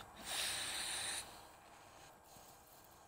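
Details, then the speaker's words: 1981 Harley Ironhead Keihin butterfly carburetor on the bench, upside down, cleaned to chase an acceleration stumble: air blown through fuel inlet gives a short airy hiss that cuts off once the float lifts; float needle valve seating normally. "blow through this Inlet with the carb upside down hopefully you guys can hear it air flows through"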